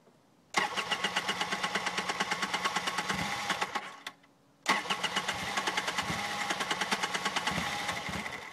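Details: Polaris RZR hard to start when hot: rapid, even cranking for about three seconds, a stop, then more cranking without catching; long hot cranking, cause unclear.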